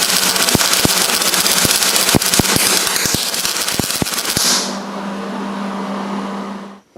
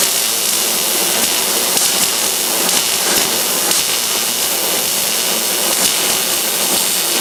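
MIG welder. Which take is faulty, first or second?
first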